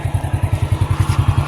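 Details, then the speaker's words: 28-year-old Honda Astrea collector motorcycle, cam chain never replaced: an even, low putter of about ten firing pulses a second with no clatter or misses; running smoothly and normally. "masih halus lah. Ini bahkan rantai kamprat pun belum diganti loh."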